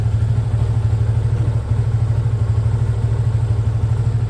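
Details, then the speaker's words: Yamaha Fazer 250 (FZ25) at about 600 km: steady idle thump with a light, quick ticking clatter on each beat, about three per second, likely from the top end. Owner suspects valves; to be checked at service. "é isso o vídeo era só sobre Esso mesmo para falar que apareceu também essa essa zoada aí de de válvula válvula não de é de válvula mesmo"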